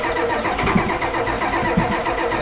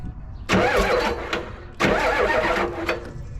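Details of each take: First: Diesel 1980s Ford wrecker with a manual transmission, long parked, running on fuel suspected to be heating oil: clattering, raised and slightly surging idle that climbs on its own. High idle with a runaway tendency, cause not confirmed. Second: 1988-ish Ford wrecker tow truck with a standard transmission, long parked, cranked by bypassing a bad solenoid with the start wire: two even cranking bursts with a steady, unlabored whir, no binding or grinding; the engine isn't seized and sounds healthy.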